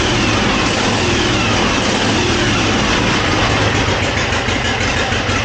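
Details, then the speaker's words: 1957 Harley-Davidson Panhead V-twin, first start after long storage with rebuilt Linkert carburetor: loud lumpy idle with sharp chuffing puffs each firing; exhaust leaking at both loose head flanges, smoking a little. "I know it is leaking at both of the flanges here for the exhaust. I need to go ahead and tighten those up."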